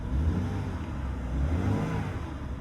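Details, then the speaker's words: BMW that wouldn't start with key, after replacing $9 CAS (car access system) sensor: low even engine note holding steady, no stumble or rattle; normal running. "And it runs smooth. That's insane. It was literally literally just a sensor."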